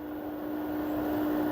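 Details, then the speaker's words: LG front-loading washer-dryer (6 kg wash/3 kg dry, model F1280QDP2) after main PCB and power-switching IC replacement; drum winds up through 1,000–1,200 rpm maximum spin with a clean steady hum, no knocking or grinding, normal high-speed spin. "now again I I will press one it increase RPM until [Music] 1002 it is already came uh coming 1,100 1,200 it is maximum"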